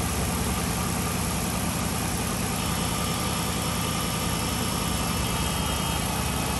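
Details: 2007 Chrysler 300C Hemi V8 that was overheating, after coolant refill, idling with heat on to bleed air: smooth, steady, even low rumble, no knocks, ticks or squeals; normal idle.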